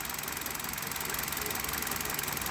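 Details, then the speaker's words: Hyundai Solaris, warm, at idle, Liqui Moly 5W30 after 2000 km, mileage 29,313, coil wiring harness replaced: even idle with light fast regular injector tick, no knock; normal idle. "и вот так на холостых работает мотор нет никакого стука на товар стоит нет"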